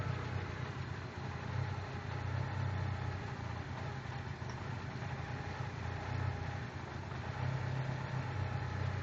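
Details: 1996 Eclipse Spyder with 6-bolt engine swap, no fault codes: four-cylinder idle with a deep, uneven, wavering lope instead of a steady beat; rough idle.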